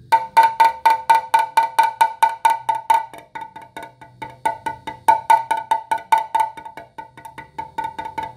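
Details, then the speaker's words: S-Works Tarmac carbon bike downtube, tap hammer test: bright ringing tone over sound laminate, duller quieter knock over large manufacturing voids found by ultrasound A-scan on drive and non-drive sides. "if we move over to the voided area you clearly hear the difference in tone it'll be significantly dollar in time"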